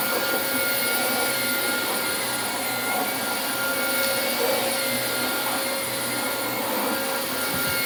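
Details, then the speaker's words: Dyson DC25 upright vacuum: steady roar with a thin, faint whine from the large and small brush-roll drive cogs, which are dry and ungreased; dry drive gear noise. "all you can hear on this one is the cog on the the big cog on this side there's a small and a big cog and uh both of them are pretty let's just say dry"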